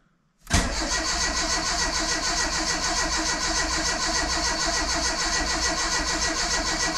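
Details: Renault Super 5 on its first start after a year and a half of restoration: starter spins the engine cleanly and evenly, about 3.5 turns a second, with no knocks or scraping; healthy cranking, and the oil pressure light then goes out.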